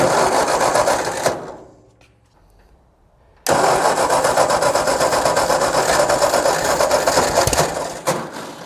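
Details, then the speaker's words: Tractor sat in a field ten years, spark confirmed, no fuel system yet, cranked on starting fluid: steady cranking about four turns a second with occasional puffs, never runs; starter Bendix then failed with chewed teeth. "It's trying."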